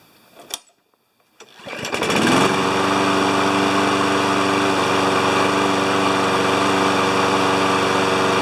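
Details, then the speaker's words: Briggs & Stratton 7.25 HP mower that wouldn't restart when hot, after an ignition coil replacement, restarted hot after running a few minutes: fires on the first pull and holds a steady even buzzing run with no stumbling; normal hot restart. "we'll let it run for a few minutes and then we'll test it and see if it restarts when it's hot that was the original problem"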